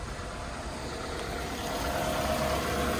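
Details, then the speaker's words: Five-speed car with 195,000 miles, started with a jump pack: even, steady low rumble with a soft regular pulse, no knocks or rattles; normal running engine; valve cover gaskets suspected of leaking. "start it up not a bad sound 195 000 miles on it"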